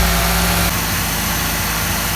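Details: Ford XR4Ti engine at hot idle, steady and even with a smooth low hum, no misses or knocks; warmed up with coolant circulating and no overflow this time, unlike the last run; normal warm idle.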